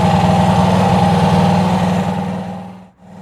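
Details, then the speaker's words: Honda CB360 twin after cam chain adjustment, valve adjustment, points gap, timing and carb sync: even, steady idle beating about four per second, no misses or tapping; carbs balanced, runs smooth. "listen to that oh I mean she's she's running like a singing sewing Singer sewing machine"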